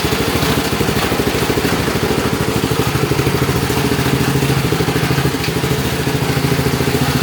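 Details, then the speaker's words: Lawn tractor on cold start: rapid even engine pulses with a dry scraping rub over them; the cooling fan broke off inside and rubs as the engine spins. "sad that sound y'all heard that's the cooling fan it broke off inside so I don't know why so that's why it's making that sound when it's running"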